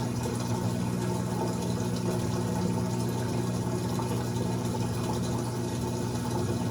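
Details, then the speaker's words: Amana washer model NTW4516FW1 in diagnostic mode, final drain and spin stage: smooth, steady low hum from pump and drive, no knocking, grinding or rattle; drains and spins normally. "Final, now it's going to do a spin and drain."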